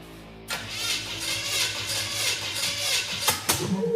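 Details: Ford Model A engine after compression test showed 100 and 150: starter turns it over for about three seconds with an uneven rhythm but it never catches; cranks but will not start, cylinder heads to be changed.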